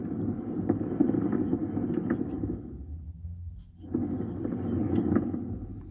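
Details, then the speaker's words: 2006 PT Cruiser front wheel bearing, removed from car and spun by hand: dry, gritty growl that fades as it slows and returns when respun; worn wheel bearing. "that's a little growly so that's what it sounds like when it goes bad"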